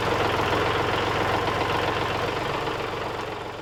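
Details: Kubota 3901 diesel tractor with LA525 front loader, after replacing the failed pump-to-loader-manifold hydraulic hose and refilling 1 gallon of fluid: even diesel idle with steady low thrum while lifting the bucket, no straining, whining or leaks; normal idle.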